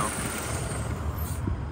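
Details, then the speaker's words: Ford Bronco at idle with a snapped serpentine belt: a deep rumble with uneven low thumps; the alternator and water pump are no longer spinning, and a strip of belt sits behind the water pump. "it's making noise because the alternator is not on that's everything the water pump is not spinning"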